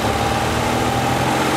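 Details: Porsche 356C air-cooled engine held at steady high revs during timing-light check, total advance about 35–37 degrees, slightly hot but fine: smooth even roar, no misses, knocks or rattles; healthy.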